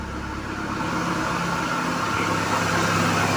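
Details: Volkswagen at idle around 1000 rpm with check-engine light on: faint whirring whine over the engine from the accessory belt, traced with an automotive stethoscope.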